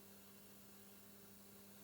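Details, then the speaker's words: ION USB twin cassette deck (Sanko mechanism) playing a tape: quiet mechanism with a faint steady low hum beneath, no clicks or speed wobble; owner wonders if transformer hum carries through. "I wonder if that hum from the transformer gets carried through at any point. That would be interesting."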